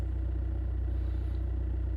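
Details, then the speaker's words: 2008 Suzuki Swift 1.3 DDiS diesel with an extended-crank complaint: battery reads 11.77 V before cranking and averages about 9 V while cranking. Slow, sluggish, even churning as the starter turns the engine lazily; weak battery, though probably not the whole fault. "Right. Well, that didn't actually crank for as long as it has done in the past, which is a bit annoying. Um, [clears throat] if I zoom in into here, we can see that the battery is indeed weak."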